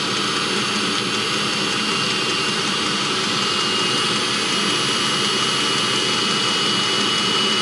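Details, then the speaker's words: 2016 Mercedes Sprinter (2.1 L four-cylinder diesel) diesel-fired coolant block heater running: a steady hissing jet-like roar with no sputter, surging or pulsing. The burner is burning cleanly; it sometimes smokes at startup. "That's the fuel pump clicking right there, and it does smoke sometimes."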